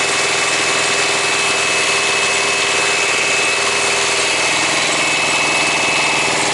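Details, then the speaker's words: Thermo King truck APU diesel, just started after bleeding: thin steady high-pitched squeal over loud hissing diesel run; paper-thin drive belt slipping, barely turning; unit not cooling well and low-voltage indicator coming on. "as I was just running I could hear like a squeaky squeaky squeak noise and I decided to look at this and the belt it's like paper thin"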